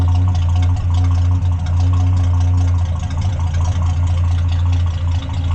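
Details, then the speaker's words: 1973 Plymouth Scamp after new muffler and tailpipe replacement: deep, steady low rumble at idle with even pulses, no rasp, puffing or leak hiss; slightly louder but reasonable, exhaust sounds healthy and sealed. "So, anyway, go again. Seems like it's slightly louder, actually. Nice and reasonable. I like it."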